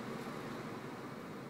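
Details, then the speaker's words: 2003 GMC Yukon Denali 4x4 dual-zone air conditioning: steady, even rush of air from the blower with no ticking or squeal, blowing nice and cold; running smoothly. "Dual side air turn that on oh yeah that's blowing nice and cold perfect"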